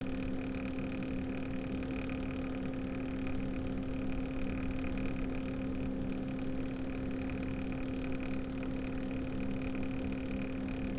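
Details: Cooler Master ML240L RGB liquid CPU cooler after a few weeks of use, CPU fan at full speed, idle temps up from about 35 to 50°C: steady low hum with a clear tone near 260 Hz; owner suspects failing pump or air lock.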